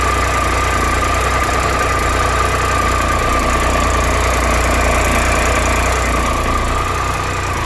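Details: 2013 Triumph Tiger Explorer at 31,000 km, ticking when both cold and warm: a light, fast, steady ticking over a stable idle, a top-end tick. The owner suspects the valves and is having the dealer do them.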